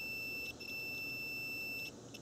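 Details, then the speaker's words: Cooling fan relay bench test, about 12 V applied to terminals 1 and 2, multimeter on terminals 3 and 5: clean, high, steady continuity beep briefly dropping then returning; relay contacts closed, continuity confirmed. "that verifies that we have continuity this is working correctly"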